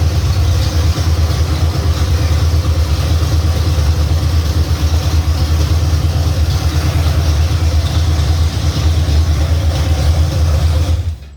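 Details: 351 Cleveland V8 running for the first time on a home-built run stand with shaker scoop fitted: deep, even burble holding steady with no knocks or misses before shutting off; normal smooth idle.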